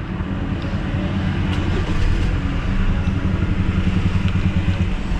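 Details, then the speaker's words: 2011 Hyundai Tucson with check engine light and low power, at idle after start: low, uneven, lumpy rough idle with heavy vibration; won't rev past about 2500 rpm, fuel smell; cause not yet found. "Rough idle. Tapos check engine. Tapos napansin ko sobrang vibration."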